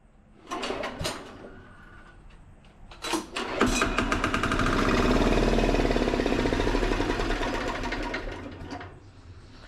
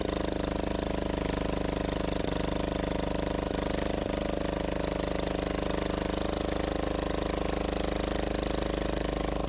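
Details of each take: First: Gravely Model L repowered with a 10 HP Yanmar L100-clone single-cylinder diesel, first start after bleeding the injector line: several cranks, catches, settles to fast steady chug with loud rattle from the bouncing exhaust; runs fine. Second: Gravely Model L repowered with a 10 HP Yanmar L100-clone single-cylinder diesel, first run after bleeding the injector line: steady thumping with metallic buzzing rattle from the exhaust bouncing around.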